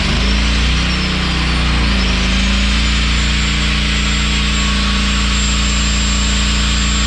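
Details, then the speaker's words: Honda EG1900X generator with GX140 petrol engine, stored over 10 years, after a fuel tank clean, ultrasonic carb cleaning and oil change: steady, even drone at governed speed, about 52 Hz unloaded and 50.2 Hz loaded, running normally. "so there you go guys one more engine done one more generator up and running ready for work engine's running very nice"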